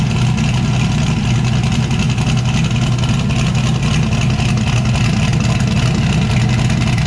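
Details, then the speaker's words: Chevrolet S10 with turbo setup, after cleaning driver's-side parts with carburetor cleaner so it no longer runs on five cylinders: steady, even low rumble with audible cam, no stumble or skipped beats. Normal idle. "now time i'm good sounding better powered up on them here you can hear the cam a lot better since it's not maybe well since it's not running on just five cylinders"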